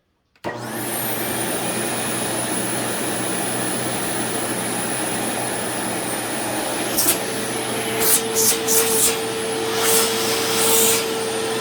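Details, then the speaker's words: Secondhand Sharp Twin Energy vacuum cleaner on first switch-on: motor hum with a steady, prominent high-pitched whistle or squeal that shifts when handled. Owner suspects air being pulled in behind something. "So it is quiet, but there's like a faint whistling noise. In fact, it's not very faint now that I think about it. There's a pretty prominent whistling noise."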